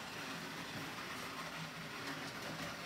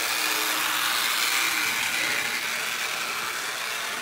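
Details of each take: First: Lionel #60 trolley, 50+ years old, after cleaning and repair, test run on track, was growly before: steady electric whir with light wheel rattle and only a slight grind, running quieter; light works; normal running. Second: Garage-find Lionel #60 trolley, before motor service, power nearly full: uneven growly buzz with crackling arcing like lightning inside the car; rough running with motor arcing.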